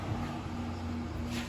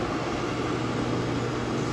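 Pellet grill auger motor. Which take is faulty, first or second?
first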